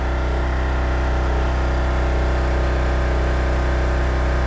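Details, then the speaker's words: Coleman Powermate 1850 generator, about 9–10 years old, running unloaded: a steady, even drone at one constant speed with no hunting or surging; the governor holds about the right speed, though voltage reads slightly high for no load. "it sounds like it's running at about the right speed but it is putting out a little bit of a little bit more voltage then it should be for unloaded conditions"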